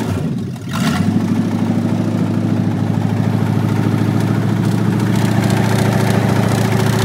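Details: 1965 Ford Mustang coupe V8 run with the transmission removed, no exhaust and the air cleaner off: catches and settles into a fast idle with a steady clatter underneath; a suspected bottom-end knock, felt at the oil pan, still being traced.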